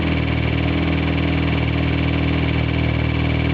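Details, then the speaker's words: 1G DSM four-cylinder at rough idle with deep, heavy rhythmic knocking about three or four a second; judged rod knock, with something milky white seen afterward. "So, thinking we're going to have I think that's rod knock. I think you all can agree on me on that one."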